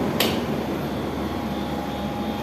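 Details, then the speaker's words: Window AC after fan motor noise repair: steady even hum from compressor and fan with no rattle, scrape or squeal; runs quietly and healthy, meter reading about 5.34. "को देखें motor की कोई आवाज नहीं आ रही है"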